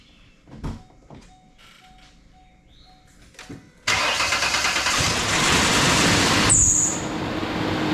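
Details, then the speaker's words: 2008 Ford Explorer 4.0L engine, just reinstalled, fired up: cranks and catches, then a fast metallic rattle and tick rides over the idle; timing chain rattle. "all right well yesterday you saw us fire this thing up and me try to figure out why it had a rattle tic tac to it"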